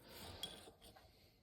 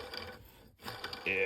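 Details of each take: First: 1996 Ski-doo Formula SLS crankshaft bearing spun by hand during teardown: soft even whir fading out with no grit or rumble, pretty quiet and typical, fine to reuse. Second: 1996 Ski-doo Formula SLS crankshaft main bearings turned by hand during bottom-end teardown: gritty, uneven rolling rasp with ringing tail; PTO-side bearings water-damaged and toast.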